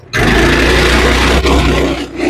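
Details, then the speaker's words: GoPowerSports Lifan 212 single-cylinder engine after rejetting from 0.28 to 0.36 jets (was too lean), cold start on choke, taking off under load; snaps up to hard steady roar, no stumble or breakup; healthy acceleration, much more power. "Ye gods, it takes off pretty well."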